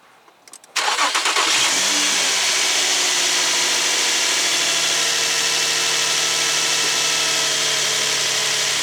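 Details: 2004 Infiniti FX35 3.5 V6 test run after replacing the positive battery terminal and fusible link; cranks briefly, catches at once, settles into steady even idle with no misses or knocks; healthy start.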